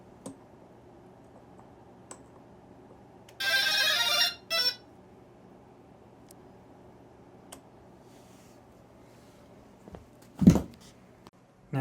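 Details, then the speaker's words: Quad-motor tailsitter at power-up: short high-pitched tone sequence, then a single chirp, played by the flight controller through the ESCs by vibrating the motors; a non-stock custom ESC startup tune, tied to why it isn't flying. "the noise you heard is the startup noise for that flight controller that it makes through the ESC and Motors basically it takes the frequency of the motors and adjust that frequency and vibrates them back and forth"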